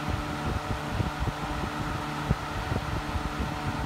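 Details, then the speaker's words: Hunter 12" table fan (special edition, April 2004) on high speed: steady fan roar with faint irregular ticking underneath, loud like an old box fan but moving lots of air; nothing clearly failing. "right now spe3 sounds like an old box fan from like the 80s 970s like the loudness of it but it's definitely moving it t of air"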